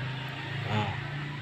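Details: Smooth, steady low hum of a Polytron two-door refrigerator's replacement fan, which turns left where the original turned right; it spins evenly with no rubbing or ticking and runs normally.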